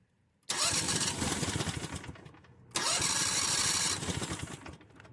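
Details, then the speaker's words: Buggy with a CVT drive clutch, newly running on a temporary gas tank, started cold: two starts, each catching at once into a fast, buzzy run that settles. The cold engine fires readily. "Yeah, it's cold. There we go. Alright."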